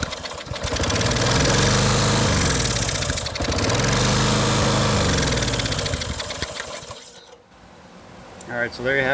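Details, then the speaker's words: Lawn Boy push mower, just running again after a carburettor clean: the engine keeps racing with a harsh rising-and-falling screech after the handle is released, only cutting out when pushed further over; faulty brake/ground assembly. "uh it kept running by itself it was until i pushed this thing further over that it started to uh cut out"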